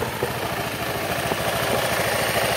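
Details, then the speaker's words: Honda Beat injection scooter after repair, a worn thin bore shimmed instead of replacing the part: close-up even, quick idle with the earlier otok-otok knocking gone. "tidak ada suara otok-otok kita akan coba gas lagi ya aman suara odok-odok hilang"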